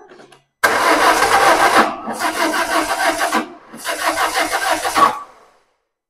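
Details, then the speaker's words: 2005 Peugeot 1007 1.6L 16V 109hp that shook and lost power while driving; battery charged, no fault codes. Three bursts of quick, even cranking, about three beats a second; never catches. A jumped timing belt suspected. Crank no-start. "अब इसे फिर से शुरू करें अरे यार, यह शुरू ही नहीं हो रहा है"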